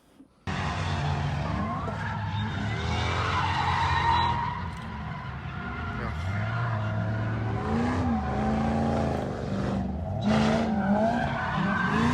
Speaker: I was blown away with just how much that little supercharger whines. Yeah, it's spinning a lot faster than it probably should do, which is part of the reason for the noise, I suppose.